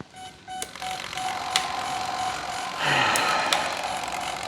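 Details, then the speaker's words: Dynam Messerschmitt Me 262 V3 twin 70mm RC jet during radio setup: thin steady buzz near 700 Hz with faint clicking as flap servos hold after setting takeoff and landing flaps; servos suspected straining against linkage. "so as you can hear, everything is buzzing and it's very disconcerting. I don't like that."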